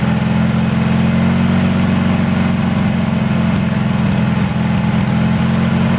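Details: Briggs & Stratton 18 HP engine on a Wheel Horse Work Horse GT-1642 tractor: steady low drone with an uneven, lumpy pulse through the idle; rough idle, cause not identified.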